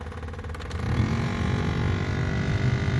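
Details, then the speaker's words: 2004 Ford Crown Victoria Police Interceptor at idle, which started a little rough: a rough, uneven roar rises over the engine once the blower fan comes on. Owner suspects the blower motor is failing or something is stuck in it. "yeah that doesn't sound good at all i think the blower motor is going out but the car is throwing a fit yeah it's not happy"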